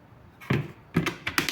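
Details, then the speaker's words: Arno Clic blender, 127 V 600 W: the jar is pressed and twisted onto the base until the latch gives two clicks as it seats and closes the interlock. Afterwards pulse runs the motor perfectly. "Ó, agora sim, agora encaixou, deu 2 estalos, tá vendo?"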